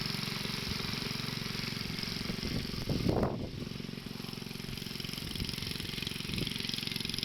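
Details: Wheel Horse 704 garden tractor Kohler single-cylinder, after recoil starter realignment, driving around the yard under light load: even steady thumping, a brief clatter midway, no misses or knocks; runs healthy.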